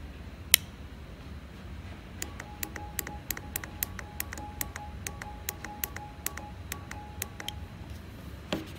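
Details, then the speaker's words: Known-good EGR valve solenoid powered with a power probe: sharp crisp clicks, about four or five a second, as it actuates normally, unlike the likely seized solenoid, which gave no click. "hear that that clicking noise inside the solenoid is it actuating that means that the solenoid is working"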